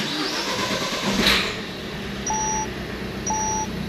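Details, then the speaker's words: Peugeot 2008 that broke down on the motorway with a misfire, after a failed injector was replaced and its code entered into the ECU: a short crank, then it catches with a slightly uneven note before steadying; runs fine with no fault codes. "And it will settle itself out. Perfect. And just like that, that car now is all back up running together."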